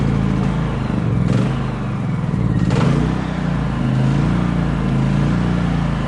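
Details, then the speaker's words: Predator generator that died after two hours, restarted after fitting a replacement Suzuki LT80 spark plug boot, cover off: steady, even low drone with no misses or knocks; normal running. "there we go running like a champion"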